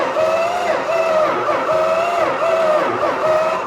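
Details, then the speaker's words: Petty Blue code 999 Plymouth Superbird: starter whine dipping evenly about twice a second as each cylinder comes up on compression; it cranks over and sounds like it has compression. "sweet sounds like it has compression yeah so it actually cranks over so I don't believe it"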